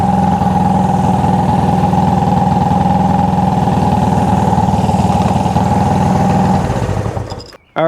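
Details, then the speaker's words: Honda CB360 twin, cold, number two cylinder not firing due to bad ignition timing; after adjusting points so the LF mark lines up, a steady, even twin idle with no misses or stumbles, engine calmed, then shut off; normal idle. "you know it's it's doing what it's supposed to be doing you heard the engine calm down"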